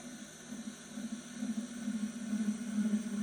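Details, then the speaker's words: Pottery wheel trimming a noodle bowl with a sharp tool held loosely, far from the head, unbraced, wheel sped up: steady buzzing rattle near 200 Hz grows louder with speed as the tool chatters, leaving chatter marks. "And I hold my tool loosely and longer. And you can see that my tool start to vibrate and it start to create the cheddar mark."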